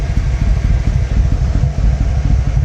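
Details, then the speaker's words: 1996 Yamaha Royal Star Tour Classic, 29,000 miles, sat for a while, running on jumper cables with a weak battery; deep lumpy exhaust surges and sags, hesitating when throttle opens; owner suspects bad old fuel. "Ah, she doesn't like the throttle. I think it's because I got crappy fuel in here."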